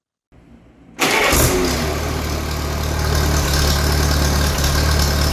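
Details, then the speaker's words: Allis Chalmers tractor engine (Allis B or similar) started with a ratchet after magneto timing: catches at once and settles into a steady, even low chug. There was no kickback, so it fires just after top dead center or maybe right at it. "good news is while I was hand starting it the ratchet didn't kick back at all so we are firing just after top dead center or maybe right out which is good"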